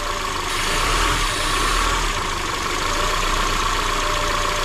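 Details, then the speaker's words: Honda Element K-series turbo build with a new BullBoost intake manifold and billet throttle body, first start: steady idle with a constant airy hiss from an open vacuum port leaking; there is no idle air control valve, and a check engine light is on. "we fired the car over with the intake manifold everything sounded good other than the vacuum leak which is right here"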